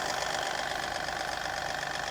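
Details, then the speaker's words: Lexus RX300 petrol V6 idling with a fast, light knocking in the engine hum, localized by ear around the cylinder head; knock reduces as the engine warms up. "так стук где-то вот в районе примерно но если так слушать где-то здесь вот"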